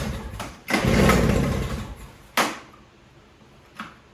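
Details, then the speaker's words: Toro CCR3000 snowblower, 5 hp Suzuki engine, restarted on prime and choke with an empty tank until it won't start: catches, runs rough about a second, fades to lone pops and dies. Carburetor run dry. "That might be all she wrote. I'll do this a few times until it runs completely dry and I'm unable to start it. That way I know there's no fuel left in the carburetor."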